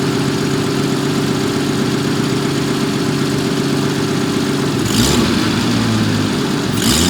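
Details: 1974 Jaguar XJ12 Series II: smooth, even idle that picks up cleanly on two quick blips with no misfire or stumble; the engine now runs on all cylinders.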